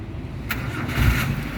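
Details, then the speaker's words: 2012 Suzuki APV Arena 1.5 GX manual, about 139,000 km: short crank, then engine fires crisply and settles into smooth steady idle immediately; healthy start, suggesting battery and starter are fine. "pada saat kita Nyalakan mobil pastikan bahwa nyalanya itu jreng karena apa kalau dia nyalanya tersendat Berarti ada kemungkinan permasalahannya bisa jadi pertama di akinya sudah soak atau dinamo starternya bermasalah"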